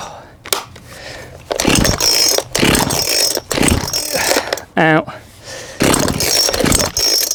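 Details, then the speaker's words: Cheap £20 auction two-stroke chainsaw being revived, warm, running with chain on: fires in uneven bursts with surging gaps, never settling to a smooth steady run; running rough. "there we go that's a bit rough with the chain on than that"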